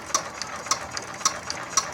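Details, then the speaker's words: Yanmar TF115 11.5 hp diesel, freshly rebuilt (new liner, piston, rings, bearings), hard-start repair, hand-cranked before first start. Crisp high squeaky chirps about twice a second: normal injector chatter, pump and nozzle good. "ได้ยินนะครับแสดงว่าปั๊มดีนะครับ"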